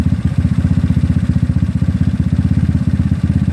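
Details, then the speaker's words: GY6 scooter with OKO PWK 30mm carburetor during tuning, idling with a low steady putter, even beats and no hunting or surging, having come down to idle; normal idle. "oh you hear the engine actually kind of calm me down at all which is a good thing actually we want to idle down like that"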